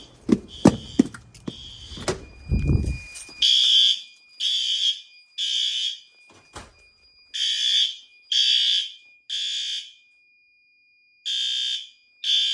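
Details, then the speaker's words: Monthly fire alarm test: after handling knocks, horn strobe gives loud shrill blasts about a second long with short gaps at full, very high volume; checked good, working normally. "That guy's good. That guy's good. I know they don't like to show up on camera, but"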